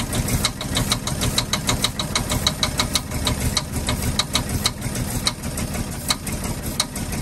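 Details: 1948 Ford F-5 ice truck, not run in 45 years, uneven idle after first start, warming up, with sharp light ticking about two a second; number six lifter believed sticking and popping back, not a bottom-end knock.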